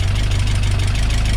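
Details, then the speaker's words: Peugeot 205 GTi Mi16 freshly rebuilt engine on first start: quick even light ticking over deep low idle; hydraulic tappets primed long ago not yet refilled with oil, expected to quieten. "So it's still tappy. Spoken to bars, it can take ages and ages to fill up, because it was obviously cleaned and primed a long time ago before the engine was finished."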